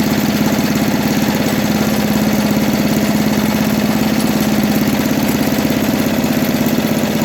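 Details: 1980 MTD SnowFlite 5-20 snowblower with a new Qazaky carburetor, mixture screw opened one turn from nearly shut: small single-cylinder engine runs steadily with an even buzzing beat, no stumbling or surging; running properly now.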